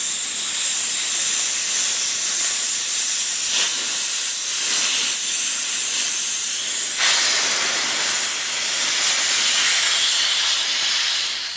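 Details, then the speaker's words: Porter Cable 150 psi air compressor, tank down to 60 psi, drain bleeder opened counterclockwise: steady high hiss with brief surges as air bleeds out, forcing condensation from the tank; normal tank drain. "there's a little bleeder so we're gonna turn the bleeder air is going to come out force the compensation out"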